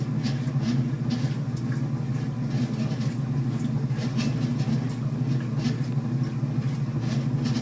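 Loud steady low drone with faint, irregular ticking about 44 times a minute on top; a noisy drive pulley, cause unclear.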